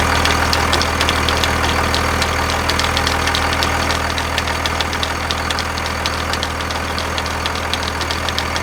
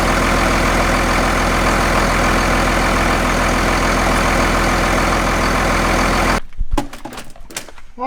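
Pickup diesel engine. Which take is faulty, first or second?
first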